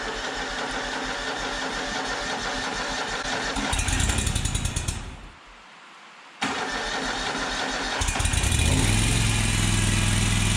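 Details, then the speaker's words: Exmark Lazer Z zero-turn mower, Kohler Command Pro CH740 V-twin, after gasket replacement for an oil leak: cranks, catches, stalls briefly, then restarts and settles into an even idle with no knocking; normal start and idle. "Eric's going to crank it up, and we're going to see how it does."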